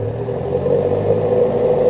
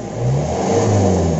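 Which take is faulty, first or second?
second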